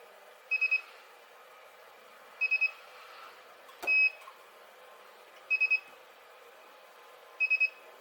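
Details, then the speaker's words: Spot welder building an 18650 battery pack: short, high, clean triple beeps repeating every two seconds or so between welds, which is the welder recharging normally. "The beeping that you can hear is the welding machine just charging back up again. It just takes a few seconds."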